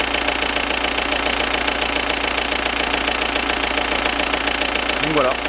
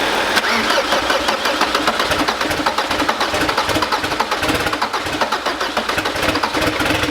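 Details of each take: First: Audi Cabriolet diesel, freshly rebuilt engine on its second start: steady clatter at idle of roughly three and a half knocks a second. Considered normal injection knock. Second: Audi Cabriolet diesel, freshly rebuilt engine, first start after priming oil and fuel and refitting injectors: harsh, unmuffled rapid exhaust pulses with sharp diesel clatter. Loud because the turbo downpipe is not connected to the exhaust line.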